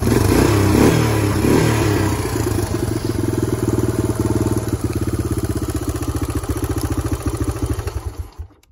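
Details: Old Yamaha YTM200 three-wheeler single-cylinder, after sitting outside about 10 years, on a different carb after a failed Amazon carb. Idles and revs with a quick, regular light tick that follows engine speed; source not pinned down.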